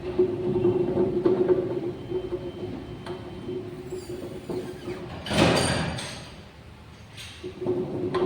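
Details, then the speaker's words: Maruti Wagon R wheel spun by hand gives a rough, grainy hum; on the highway at 50–60 km/h a droning, bearing-like noise grows louder as speed rises: worn wheel bearing. "तो जभी भी आप लोग गाड़ी चलाते हो और 50 60 की स्पीड में जाते हो और जैसेजैसे स्पीड बढ़ता है उसका आवाज बढ़ते जाता है तो समझ लेना कि आपकी कार का टायर का जो व्हील बेरिंग रहता है वो खराब हो चुका है।"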